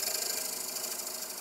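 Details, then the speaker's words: Wood lathe faceplate-turning a clock base blank with a bullnose-ground chisel: fast even tapping knocks over the spinning whir as the tool hits voids where the blank is not yet round; chatter until trued. "When you turn, you listen, and you can hear that little knocking noise right now. That's because I'm turning into an area where there's a shadow or a void where it's not completely round."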